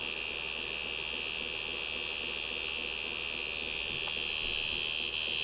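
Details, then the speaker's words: PhonoTrix reel-to-reel recorder, German-made and believed to be from 1958, restored with lubrication and a flange adjustment. On playback of one tape side, a steady high-pitched buzz holds throughout with no program material. That side is blank noise; the other side has recordings. "well it doesn't seem like we got much on this thing it may be a very disappointing tape after all we just got buzzing noise the whole time apparently I don't know why"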